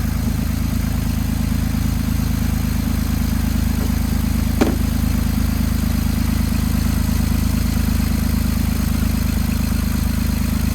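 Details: 2008 Jeep Wrangler idling after starter and battery replacement while battery checked at 14 volts: steady, even low idle with smooth unbroken rhythm, no knocks or misses; alternator good, engine healthy.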